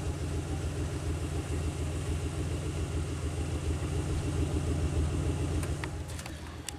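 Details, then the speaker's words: 2001 Pontiac Aztek GT, cold engine at idle, heard near the exhaust. It idles a little rough with a low pulsing beat and occasional exhaust puffs but no real misfire, quieting as it warms. A small hiss is audible. "yeah it's not really misfiring but it's a little rough right now get warm up quieting down"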